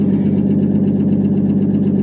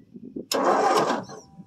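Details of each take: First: 1959 Ford F250 longbed stepside, 223 or possibly 262 inline-six, cold start after 3–4 years sitting, new battery, fuel poured in: steady, even low idle with a firm regular pulse, no knocks or misses; running cleanly. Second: 1959 Ford F250 with a 223 (possibly 262) six-cylinder, cold start after sitting 3–4 years on a new battery: brief starter cranking that turns over but never fires. Crank, no start; no spark seen, and the points are suspected.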